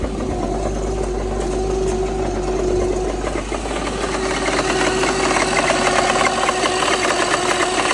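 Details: BMW N54 idling with an irregular knock and tick roughly three or four a second; persists after a replaced cylinder 1 fuel injector seemed to stop misfires, no check engine light; cause unknown.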